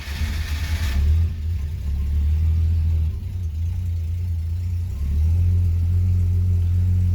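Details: Engine with dual Holley 1920 carbs, first start after rebuilding them to cure an off-idle lean stumble, no leaks seen: catches on the first crank, settles into a smooth, even low idle with no stumble or miss; charging 14.2 V.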